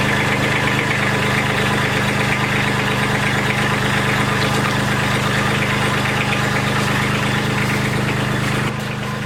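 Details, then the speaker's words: Kubota B2601 diesel tractor, first start after sitting about a month in cold weather, fitted with block, oil and transmission heaters; starts right up quickly and runs at a steady, even idle with light clatter, no misses or surging: normal idle. "Well, that worked pretty good. It started right up. Of course, I have a block heater, an oil heater, and a transmission heater on that tractor, so that wasn't an issue."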